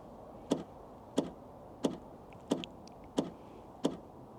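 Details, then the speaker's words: Tesla Model 3 refusing to charge: the charge port latch clicks sharply about every two-thirds of a second without locking, the plug can still be pulled out, and the car shows "charge port latch not engaged". Cause unknown. "this is what I'm getting on my model 3 and it then comes on there and this is what it says on the charge board latch not engaged"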